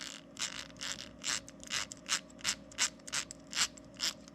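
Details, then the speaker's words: RCP Wreckluse RC crawler front axle before rebuild, turned by hand: gritty, scratchy bursts about three times a second from old grease and dirt packed in the gears. "this is the front axle i haven't done anything to it yet let's see what it sounds like hear all that gunk in the gears"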